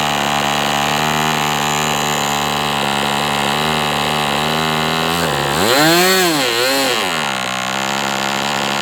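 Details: MDS 68 FS Pro four-stroke glow model engine, end of first break-in run, tach monitored. High buzz holds, then swoops unevenly and sags as it shuts down. Owner unsure rich or lean, believes not lean given heavy smoke; carb setting suspected.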